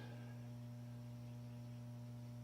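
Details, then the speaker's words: 1969 Lincoln 180K copper-wound welder running: a steady, even low hum with no buzz or rattle; the transformer is idling normally. "That's the old Lincoln 180K. Here, listen to this. She's running. That thing's copper wound."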